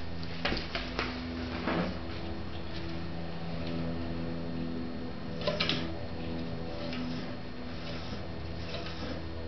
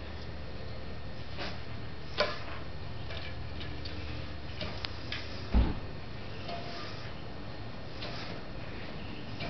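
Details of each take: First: Catrike Trail trike, left Avid BB5 disc brake under light braking: low groaning drone and humming vibration with sharp squealing bursts; right side rolls smoothly, and cleaning the disc with rubbing alcohol did not stop it. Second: Catrike Trail trike with Avid BB5 disc brakes: right-side wheel spins smoothly with faint light pad friction ticks, normal with no odd noise, unlike the left side that vibrates and makes loud noise when braking lightly.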